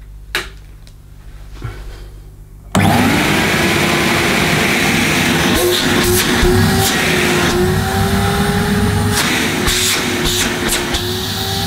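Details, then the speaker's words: 1990-era Hoover S3850 Galaxy vacuum cleaner (base model), second run after an earlier electrical burning smell: motor spins up sharply to a steady, even whine with smooth airflow rush, no stutter; smell now reduced and the machine works. "Okay, well, it might be just, it doesn't smell so bad now, but at least now the Galaxy does work, so that's good."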